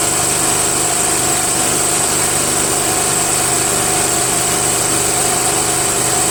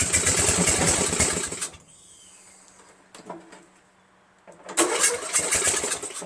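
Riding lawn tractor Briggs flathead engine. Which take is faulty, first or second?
second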